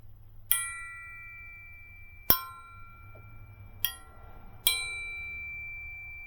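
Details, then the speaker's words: Model T engine rebuild, tap ring test on a transmission drum: four strikes, each giving a bright bell-like ring that fades slowly, unlike the thump of a cracked drum; the drum is uncracked and sound. "When you have something that is not cracked and it's made out of metal, it will ring like a bell."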